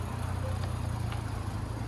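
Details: Rebuilt salvage 2020 Mini idling smoothly after repair: steady low hum, even pulse, no knocks or rattles; beeping is a bonnet-open warning from unplugged catches.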